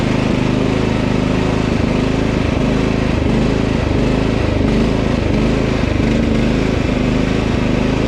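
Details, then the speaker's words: Husqvarna LT 1538 mower with Kohler CV15 single-cylinder engine idling unevenly, speed drifting up and down (hunting/surging); it quits after mowing a while, caused by old ethanol fuel gelling the carburetor, fixed by cleaning the carb. "sounds like a fuel to me now I started hunting"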